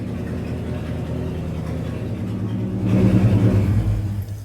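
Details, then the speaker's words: 1971 Ford F-250 after carburetor rebuild, choke working: smooth, even low rumble at high idle that swells briefly with a throttle blip; engine runs healthy and steady with oil pressure. "Running smooth as a button. You can balance a quarter on top of that engine right there. Gonna be high idle."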